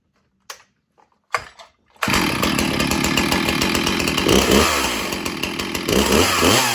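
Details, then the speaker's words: Stihl MS291 Farm Boss chainsaw with 20-inch bar, chain on a .325-pitch sprocket instead of 3/8, chain brake on and kept off full throttle: ragged rattling chatter over the engine, caused by the wrong-pitch sprocket. "You You hear You hear that loud noise? Do you hear that? That is the wrong sprocket that chain is setting on. That's why I don't want to hold it wide open because it'll mess something up."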